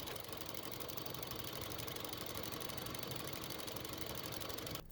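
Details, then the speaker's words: 2005 Honda Civic 1.7L petrol engine idling with a fast even tapping, about four taps a second, that gets quicker with revs; caused by a bad purge valve, and the sound stops when it is disconnected. "now if i'm correct if i disconnect the valve the sound should go away and sure enough it does"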